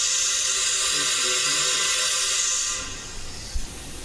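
A loud steady air hiss comes from the exhaust, then fades away; air is leaking past a rusted exhaust valve seat.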